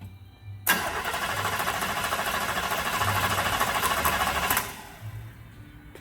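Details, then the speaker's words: 1935 Chevy during rewiring, gas pedal pumped: starter churns about three beats a second for four seconds, engine never fires; owner wonders whether power reaches the spark plugs. Cranks, no start, cause unconfirmed. "Do that again? Hang on. I'm wondering if I'm getting power to the plugs."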